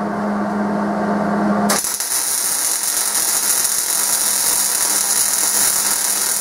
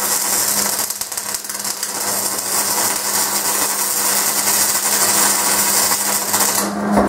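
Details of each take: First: MIG welding at correct recommended wire feed speed: after a brief hum, a steady, even crackling sizzle like frying bacon, unlike the too-fast or too-slow settings. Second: so did you guys hear that like popping it's called stubbing it's me bringing in so that was a really fast wire speed so it was just putting out way too much wire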